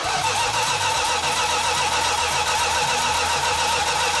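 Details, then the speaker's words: 1969½ Dodge Super Bee, 440 Six Pack, 4-speed, remote fuel tank: steady cranking whir with no firing despite spark; fuel leaking from mismatched fuel line sizes and loose carburetor fittings. "had plenty fuel i know it had spark but it wouldn't fire"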